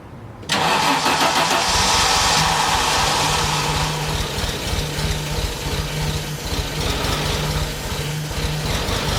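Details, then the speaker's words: 1987 Audi 5000CS turbo, sitting 20 years, first run on a makeshift fuel supply: cranks, catches, then runs unevenly with a stumbling, lumpy beat and missing pulses, misfiring and not on all cylinders, with smoke; cause not confirmed. "I mean, not on all cylinders, but it's running not well when it's on."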